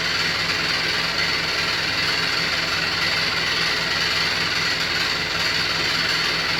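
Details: New Beko WY124PT44MW 12 kg front-load washer, 3rd or 4th use, light load, loud harsh roar with low throb about twice a second, drum moves too easily when empty; transport bolt left in by installer, feet lock-nuts not set.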